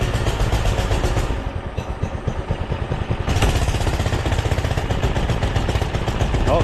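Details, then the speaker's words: Doodle Bug DB30 minibike with a newly fitted carburetor, while the carb screw is being adjusted: the single putters unevenly, stumbling and surging, barely keeps running; the owner wonders if the clutch was slipping, cause not confirmed. "she's following through it I guess she's a putter he ran before"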